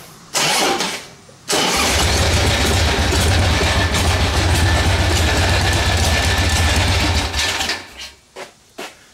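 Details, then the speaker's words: 1981 Harley-Davidson Ironhead started cold with plugs just cleaned; cranks, catches, runs loud and uneven, then sputters and stalls, needing enrichener and warm-up; cold oil pressure about 20 psi at idle. Cause not confirmed. "Alright guys, I don't know if you can hear me or not, it's kind of loud. Well, it killed itself there. It's going to have to warm up a little bit."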